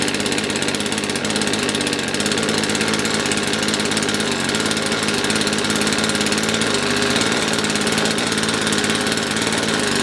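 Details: Poulan Pro PP4218AV 42cc chainsaw with primer bulb, after reassembly: runs harsh and uneven with no clean steady note; rough running from a cold-scored piston, owner also suspects spark problem.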